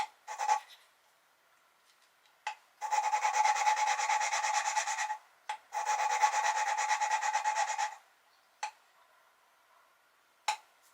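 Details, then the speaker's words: 1973 Triumph TR6 engine head rebuild after new valve guides pressed in, valve hand-lapped with compound and suction-cup tool; gritty rasping bursts and mid-pitched squeal, sound changing as seat laps in: valve lapping. "you pull up and down just to kind of reset the Lube and you can hear as you go it kind of the sound changes as it does its thing"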